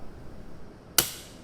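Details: Mcwell residual-current breaker wired as the manufacturer specifies: quiet room, then one sharp snap as it trips on simulated leakage, as a working breaker should.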